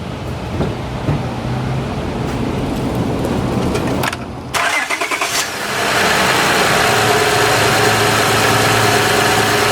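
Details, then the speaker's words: 2006 Honda Odyssey EX-L RES right after power steering pump replacement, filled with Honda fluid: the engine cranks, catches and idles with a thin steady whine as the new pump complains, likely still holding air before it primes. "you do have to put oil in here to get it to suck to prime it and let me just show you what it's going to sound like it's going to complain a little bit"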